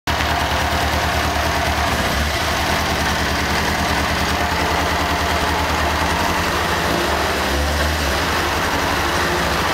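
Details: 1998 Kawasaki ZX6R after a valve adjustment, fuel tank removed: a light rapid clicking rides over the four-cylinder idle and holds through several revs; same noise as before, less noticeable this time.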